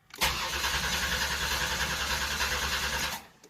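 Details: 1988 Buick Reatta 3800 V6 that sat for years: about three seconds of steady cranking at roughly three turns a second that never catches; little fuel is reaching the engine and a new fuel pump is planned.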